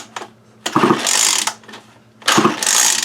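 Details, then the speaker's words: 2019 Remington Rustler RM2510 25cc curved-shaft trimmer, which has spark but a faulty pull string: two long ratchety pulls about 1.5 s apart, all rope noise with no firing. A lot of string must be pulled out before the recoil catches. "See what I mean? You got to pull. If it really wants to do anything, you got to pull a bunch of string out."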